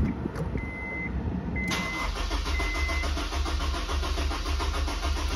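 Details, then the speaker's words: Supercharged Honda S2000 AP1 with the 15 A fuel pump fuse pulled before an injector install: the engine idles with a steady low thrum on the fuel left in the rail until it starves and stalls. "pull the fuel pump fuse which I believe is a 15 amp under the dash let it run for a minute to drain everything out of the fuel rail"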